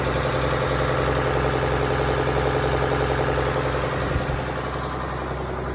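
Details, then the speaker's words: Mack B61 semi diesel with auxiliary fuel pump pre-run to build pressure (3–7 psi), 70 degrees water temp: fairly even idle with a low throbbing pulse softening near the end; idled about 17 minutes, died only under throttle; fuel supply suspected. "it idled frog probably 17 minutes and nothing happened it didn't die until we started trying to throttle"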